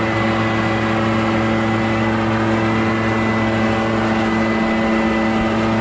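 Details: Echo PB650 two-stroke backpack blower, a barn find stored for years, old gas drained and refilled fresh, clearing a roof: loud, steady high-revving roar with even tone, no surging or misfire; runs strong under load.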